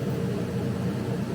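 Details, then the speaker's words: Laser cutter cutting a job with the lid closed and the exhaust on: steady, even rushing whoosh from the exhaust fan with a low hum, no surging or rattles; normal operation. "Once you're here, the button up here, the play button, the green button at the top, it will start cutting."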